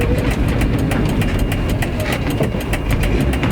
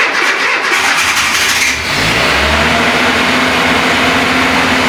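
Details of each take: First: Renault Trafic with swapped C1J engine running: sharp regular puffing ticks over a rough low rumble from a crack in the first silencier between the engine pipe and the first silencer; exhaust leak. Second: Renault Trafic with swapped C1J engine, cold start next morning: catches after a short crank, flares briefly, then settles straight into a steady, even idle, needing little fuel to start; normal idle after cold start.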